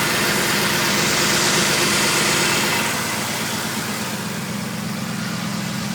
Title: Strange whistle noise cannot identify..has new pulleys alternator and idler pulley/tensioner